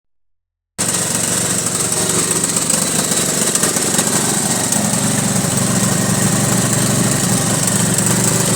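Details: 1983 Honda Goldwing Aspencade project engine running for the first time, started on full choke: uneven, lumpy beat about four times a second; rough running that clearly needs tuning, cause not confirmed.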